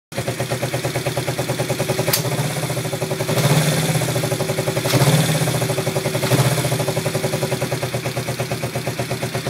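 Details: Yamaha XS400 twin after the owner's attempts to balance the carbs: uneven, lumpy idle with loping pulses, speed surging every second or so; rough idle.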